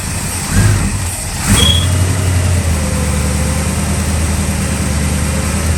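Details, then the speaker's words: 1965 Chevy Nova wagon V8, first start after fitting a Holley 600 cfm four-barrel and Edelbrock aluminum intake, dry carb cranked, timing unset: catches into a lumpy idle with a thin squeal wavering in pitch for a couple of seconds, drive belt squeaking. "Hey, but hey, it fired right up. It needed a little bit of timing. The belt squeaked a little bit, but hey, I'll take it."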